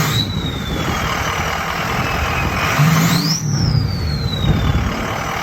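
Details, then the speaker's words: Ford 6.0 diesel with KC 10-blade Jetfire turbine wheel turbo: high whistle climbing with each throttle push, fading as revs drop, over deep diesel rumble; the famous iconic KC whistle, healthy turbo. "The 10-blade, which is still that famous Jetfire. Iconic Casey whistle. Yeah. You know? I mean, a lot of people love that sound."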